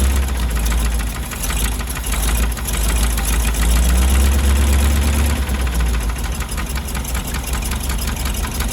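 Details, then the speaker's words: 1977 GMC 6500 truck with 366 big block, revived with ATF poured in cylinders; plug wires were possibly swapped against the firing order, and it is leaking: deep flat rumble that won't climb despite full throttle; not revving, cause unconfirmed. "man that that's like full throttle but it's not not giving it"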